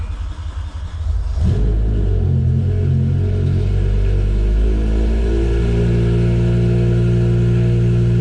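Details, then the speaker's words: BMW M5 S85 engine just started after Vanos bleed, Vanos units tested OK and adaptations reset, still warming toward 70°C for the Vanos test: a deep, steady, very loud rumble settling into an even drone. "If you can even hear me or not. This thing's so freaking loud."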